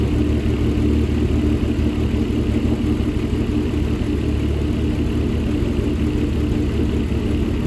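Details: 2008 Dodge Caliber SRT4, abused project car, first start: uneven idle with light quick ticking over the engine hum, no deep knock. Owner hears no rod knock and suspects the ticking is the injectors, unconfirmed.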